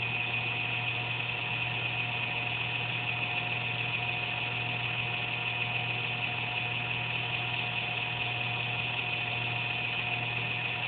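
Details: Computer under a desk makes an intermittent buzz randomly, once or twice a day, with speed and performance unaffected; steady electrical buzz, low hum and thin high whine; owner suspects a fan, unsure.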